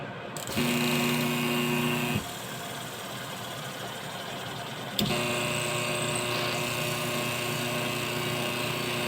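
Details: Washing machine wash motor bench-wired through a timer switch and capacitor: steady hum runs about two seconds, drops out nearly three, then restarts as the motor reverses forward and back; normal wash cycling.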